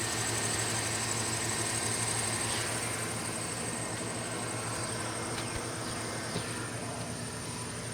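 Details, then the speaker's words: 2012 GMC Sierra idling, microphone down in the engine bay, after replacing the tensioner pulley suspected of a failing bearing; a thin, high squeal persists throughout, cause not yet found: belt squeak. "You can still hear a squeak, so I still have a problem, but it's not that bad."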